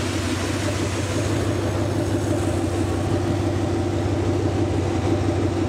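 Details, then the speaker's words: Rebuilt 368 Lincoln Y-Block V8 on an engine run stand, not yet at operating temperature, 70 psi oil pressure, just above 1000 rpm: smooth, even idle with steady low rumble, no knocks, ticks or misses; healthy. "well i hope everybody got a pretty good perspective of how well this motor runs it is ready to be dropped in it's a show quality motor"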